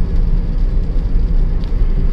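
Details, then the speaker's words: Honda Jazz petrol after misfire repair (suspected weak spark plug/ignition coil causing jerking, low pickup; RPM previously locked at 3500): now revs correctly on test drive, smooth steady engine drone, no stumbling or surging; normal driving. "இப்போ வந்து நல்லாவே இப்போ கரெக்டாக race ஆகுது."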